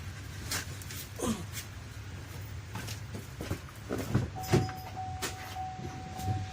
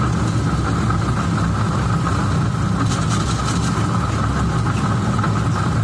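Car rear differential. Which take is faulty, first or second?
second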